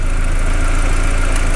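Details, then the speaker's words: VW MK4 after replacing the ignition coil harness: deep, steady idle with no misfire or hunting. A vacuum leak was noted and idle goes funky when that vacuum line is pulled. "you guys can hear that it's not misfiring it's not having a weird idol"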